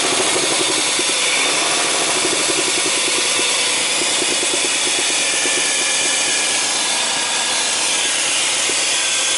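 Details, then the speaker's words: 2000 Chrysler 300M, heard under the hood at idle: harsh, raspy idle with a rapid regular tapping about five times a second; fuel trims near -24 in park, oil light recently coming on, knock cause not yet known. "What's going on under there? Oh, you can hear it. It's not a good sound. It's not a good sound at all."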